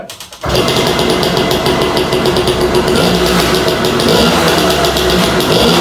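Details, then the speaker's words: 1958 DKW Hummel 50cc two-stroke with a Yamaha V80 carburetor, started completely cold: catches at once into a crisp, even, fast idle with no knocks or misses; crisper exhaust, quite smooth engine. "nih suaranya knalpotnya lebih garing suaranya mesinnya cukup halus ya"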